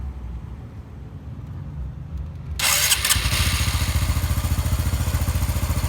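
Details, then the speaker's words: Honda Biz 125 after engine rebuild for connecting rod play knock: engine catches and settles into a steady, even idle with regular low pulses, no knocks or rattles; normal idle. "E como tá agora bem caladinho de acelerar funcionamento perfeitamente sem bater nada"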